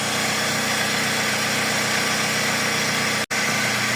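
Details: Toyota Previa previously with no idle and hard starting, after throttle body work, A/C on then off: hiss-heavy idle holds level for four seconds with no dips, surging or stalling; no longer dies, normal idle.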